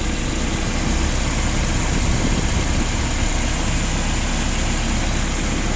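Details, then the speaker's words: Sumitomo FG10 one-ton forklift with 1,200 engine hours and a 4-cylinder carbureted petrol engine, no gas equipment. Steady, even low rumble with no knocks, misses or hunting: smooth, healthy idle. "Вот техника запущена. Работает ровно, идеально. Бензиновый двигатель, понятное дело, 4-цилиндровый, карбюратор."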